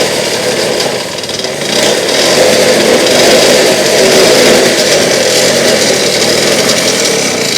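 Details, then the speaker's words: Restored Victa two-stroke go-kart engine started with rear wheels off the ground after priming the carburetor, throttle held open (it ran poorly in part 3): fires and revs to a steady buzzing run with no misfire or stalling; alive. "Well, there you go, folks. She's alive"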